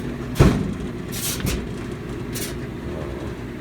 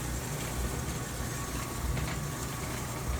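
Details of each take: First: GE dryer GTDP300EM1WS after replacing a broken drive belt (WE12M29), tumbling with clothes: low steady rumble with brief scraping rasps; metal rattle gone, something scraping the drum, owner suspects he bent the frame. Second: GE GTDP300EM1WS dryer after replacing the broken drive belt (WE12M29), test run: low, steady drum rumble with no scraping or squeal; normal dryer drum running.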